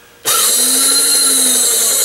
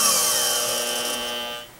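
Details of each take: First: Bestline AL-500P milling machine power feed, before repair, rapid traverse button pressed: small motor spins up at once to a high steady even whine; rapid traverse works despite faulty speed-control dial. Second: Bestline AL-500P milling machine power feed, speed control checked: clean steady motor whine rising evenly in pitch as the pot is turned up, then cutting off; feed motor running normally.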